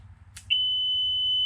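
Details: 2015 Tracker Pro Team 175 TXW boat, new ignition switch just wired in after a no-start, first key-on test: a click then one steady high-pitched beep about a second; lights and gauges come on; normal key-on warning buzzer.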